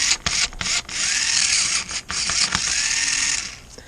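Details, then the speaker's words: 1994 Lionel RS3 Happy Holidays (6-18837) motor after cleaning and reassembly, no extra lubrication, run upside down on an old 9-volt battery: spins up to a steady high whir, stops and restarts, smooth and even each time; running well, healthy. "So now this one's running so good."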